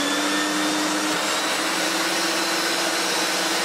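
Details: Electrolux Glider Z1820 vacuum after refurbishment, oiled and with the cleaned hose fitted. Steady, even motor whir with a smooth airflow hiss and no rattles or speed surges: it runs smoothly.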